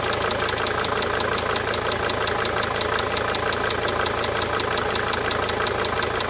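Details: 1992 Mercedes-Benz 300D 2.5 turbo diesel idling: steady idle with light, fast cyclic injector ticking fading in and out.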